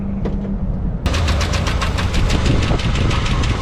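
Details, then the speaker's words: 1961 Chevy camper engine with good oil pressure; the far passenger-side lifter failed. At idle an even tick, about seven per second, rides over it: lifter clatter. "that's weight lifter exploded or just flat out died on the uh far one on the passenger side so we're gonna crank it down all the way leave it a little bit of clearance"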